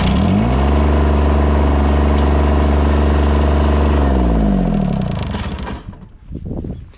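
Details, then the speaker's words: Old John Deere mower, single-cylinder, with a new battery fitted: it starts right up and runs a steady, even low thump for about four seconds before being shut off; a normal start. "yeah luckily it just starts right up so that's good um yeah and uh yeah let's fire it up one more time I'm just gonna fire it up and kill it"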